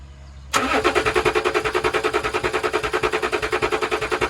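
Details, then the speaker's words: Range Rover diesel, air bled from the fuel system and good pressure now pouring from the valve, still won't run; steady starter churning at about three compression beats a second that never catches: crank, no start. "So will it run? Well, the answer to that, quite frankly, is no. Still, it will not run."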